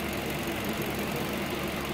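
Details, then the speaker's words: 2009 Ford Focus at idle after a fan no-start fault repair (missing fan ground; green sensor signal wire investigated); fans stay on as temperature falls from 206–208 to about 186–188; steady even rushing whoosh, no knocks, normal cooling fan operation. "está bajando cada vez más la temperatura Eso es bueno siguen prendidos ya es el régimen normal de trabajo al parecer de este vehículo"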